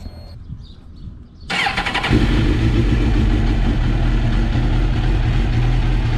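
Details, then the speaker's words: Rebuilt Suzuki GSX-R motorcycle, 37,000 miles, started on the key: quick start then steady even idle with a firm low beat, no ticking or rattling, no error codes; sounds amazing, normal cold start. "listen to that sounds amazing no error codes it's good"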